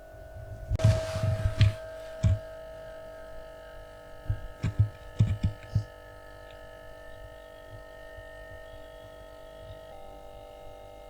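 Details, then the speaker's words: Atlant refrigerator compressor, charged with no leak: after two to three minutes of running, a steady ringing metallic hum that grows louder, with a few knocks from handling. Touching the tubing changes nothing. Abnormal compressor hum, no cooling. "он проработал там буквально две-три минуты и этот звук появился вот его услышать характерный такой он должен страшно становится он нарастает"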